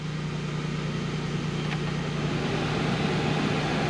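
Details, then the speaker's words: 2002–2010 Ford Explorer after replacing the blend door actuator (previously clicking, no heat); steady rush of air from the vents over idle with no clicking, blower and blend door working normally. "okay you guys can hear it blowing out i think switch over heat it's not clicking anymore"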